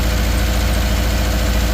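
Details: 2013 Subaru Outback 2.5 with a cylinder 3 misfire: a deep, loud idle rumble with a slightly lumpy, uneven beat. Misfire at idle, cause not yet found.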